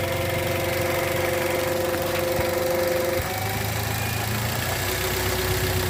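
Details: 2013 Toyota Avanza 1300cc at idle, noise at the front pulleys: constant droning hum over the low idle beat that drops away partway. Alternator bearing growl; the alternator is to be taken to an alternator repair shop.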